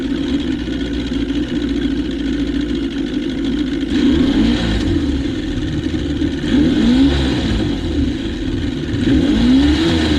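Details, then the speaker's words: 1977 Johnson 115 two-stroke outboard on the water after new CDI, coil packs and reed valves burbles evenly at idle, revs rising and falling smoothly with throttle; now idling as it should. "I'll take that. That's 100% better. [Music] idling like it's supposed to."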